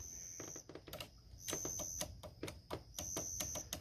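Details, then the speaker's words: 2006 Ford Crown Victoria power window that intermittently failed, now won't go down: bursts of sharp, uneven clicks heard from the motor inside the door over the door chime when the switch is pressed; owner thinks the motor is jammed. "so I can actually hear it down there in the motor so I think the motor might be jammed"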